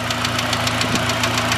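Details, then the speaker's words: Honda Civic Si EP3 with an intake, petrol idle: sharp, even ticking about seven or eight times a second that sounds like rod knock but is verified valve tick. "Okay, I'm gonna show you guys the little valve tick I was talking to you guys about. It sounds like shit. It honestly sounds like rod knock, but it's not rod knock."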